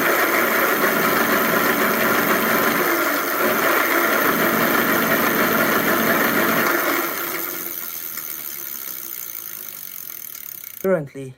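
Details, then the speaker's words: E-bike hub motor revved: a harsh, fast rattling chatter that fades as it coasts to a stop. Caused by broken, ripped-off plastic gear teeth inside the hub. "so what i'm showing you here turn it on and as i rev up it makes a rattling noise"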